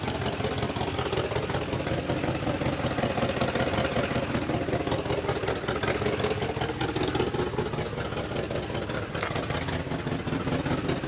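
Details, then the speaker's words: 1958 Mercury Montclair Turnpike Cruiser V8, first start after sitting a year, primed: steady, even idle with soft low burble, no knocks or ticks; oil pressure up and charging, sounds healthy. "I'd say that's pretty good for sitting for a year I got oil pressure and we are charging"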